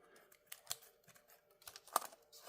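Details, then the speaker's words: Keyboard from a crushed Dell Latitude CPi Pentium II laptop built for Windows 98, during teardown: soft, irregular plastic clicks as keys are pressed in a quiet room; crisp tactile feedback, keys behaving normally. "I don't know if you can hear it but these buttons were desirable sounds back in the day"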